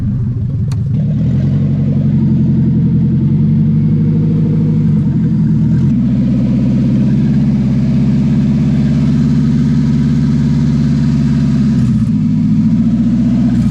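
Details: Nissan 300ZX with KA24DE four-cylinder swap, jump-started from an RSX Type S, no exhaust connected: loud open-pipe engine idles steadily, revs up cleanly twice and settles back evenly; smooth, healthy run.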